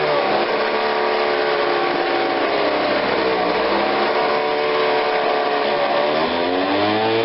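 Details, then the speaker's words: Ryobi 760 CFM two-stroke backpack blower, customer says it runs but falls on its face: buzz wanders up and down, sagging and recovering off choke; engine bogging, cause not yet clear. "so okay so without the choke on it's not really running but it's not horrible"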